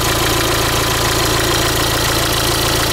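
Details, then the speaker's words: Renault Trafic / Opel Vivaro 1.9 dCi diesel at idle: a steady, fast, even knock, loudest near the passenger seat and the timing-belt side. The crank pulley bolt is tight. Pulling injectors one by one softens it, but a clear bottom-end knock of unknown origin remains. "при снятии по очереди фортунок звук вроде бы становится слабше но он не пропадает полностью то есть он остаётся снизу очень отчётливо слышно"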